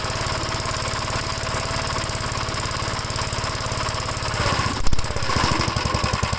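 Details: 1957 Gravely tractor, first start after fitting a new starter button (it had cranked two seconds then quit): the engine catches quickly and settles into a fast, steady single-cylinder thump with no stumbling; it starts and runs fine.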